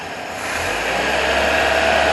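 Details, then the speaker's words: 1977 Toyota Celica after swapping carburetor, timing and vacuum adjustments, idle about 650 rpm, vacuum about 17 inches: engine picks up cleanly from idle, even note with no chugging or missing when revved; smooth running engine. "looks like it's running pretty good yeah it's smooth when you rev it up"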